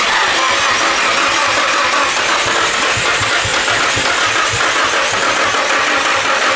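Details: Nissan S15 during fuel-system revival, fuel pump confirmed powered: steady rapid starter churning for seconds with no catch or rise in speed; engine cranks but won't fire.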